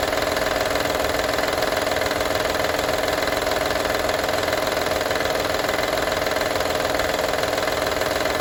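Even idle carrying a quick, regular tinny rattle, around three or four beats a second, constant throughout; the source is still unidentified.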